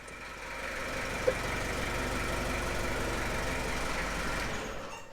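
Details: 1995 Gehl 5625SX diesel skid loader, hard-starting history, glow plug relay suspected. Catches and settles into a fast, fairly even clatter, about four knocks a second, steady; knock cause unclear, suspected not confirmed.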